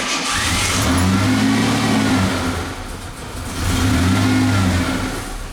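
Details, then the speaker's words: 1988 Ford Ranger after intake cleaning, with timing slightly off: rough, uneven idle that swells, sags and nearly dies, with an occasional exhaust-side pop; intermittent backfire, cause not pinned down, owner doubts it is timing. "And yeah, I don't know if you folks heard that. It sounded like a backfire just a little bit there. But I don't think this has anything to do with timing, folks, the idling issue."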